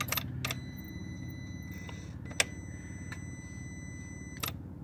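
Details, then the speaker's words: 2013 VW CC 2.0L turbo with P0341 code, ignition switched off: sharp scattered clicks over a quiet hum as relays and modules power down, normal behaviour; 5-volt sensor supply checked good. "I'm gonna shut the car off and you're gonna hear these little clicking sounds it should sound like this the way it's supposed to"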